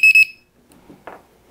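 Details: DRS250 quadcopter battery voltage checker connected to battery, black wire on first pin; quick pair of sharp high-pitched beeps as it powers up, then faint handling noise, a normal boot-up.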